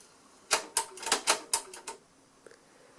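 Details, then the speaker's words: Onkyo TA-2026 cassette deck with a "computer control silent mechanism": a quick run of about six sharp, dry clicks in 1.5 seconds, then quiet, as the transport engages and disengages during an AMCS song search. Possibly relays. This is normal mechanism clicking. "I agree with the computer control part, but the silent part, there is a little bit of clicking in things that happens as it's engaging and disengaging. It might just be relays,"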